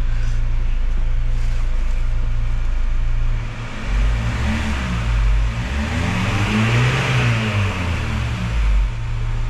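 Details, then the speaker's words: Kia Sorento after replacing the valve lash adjusters on the rocker arms: revs up and falls back smoothly with no ticking as the throttle closes. The tick-tick owner complained of on accelerator release is gone. "Yan, okay na siya mga boss. Dati pag bitaw mo ng accelerator, may paiwan siyang lagatik."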